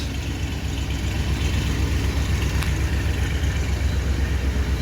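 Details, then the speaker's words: 1977 Ford Country Squire station wagon after new dual exhaust: deep, even V8 burble at idle, steady low rumble with no ticks, knocks, rattles or exhaust leaks; normal healthy idle. "There's not a rattle in it anywhere."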